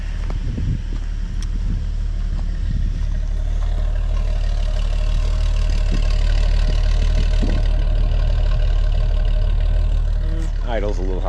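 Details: 1981 Ford truck inline six, warm, after new PCV valve, grommet and charcoal canister, about 20,000 miles by owner: steady, even low rumble with no misses, idling a touch high.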